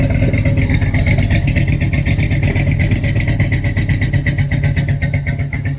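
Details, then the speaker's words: LS-swapped G-body El Camino with a 5.3 V8, 243 heads and LS6 intake, running only on starting fluid sprayed into the intake. It chugs loudly and lumpily, then dies: no delivery from the dead fuel pump. "And then eventually it'll just die out. Yeah, so he went to go get a new fuel pump and swap that out."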